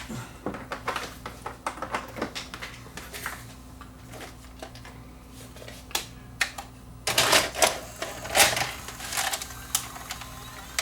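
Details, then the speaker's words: Panasonic PV4361 VCR after repair with the cover off: busy, uneven clicking and whirring as the cassette threads and starts playing, with no grinding or stalling; the transport now plays properly. "And we'll see if it plays. Which it does."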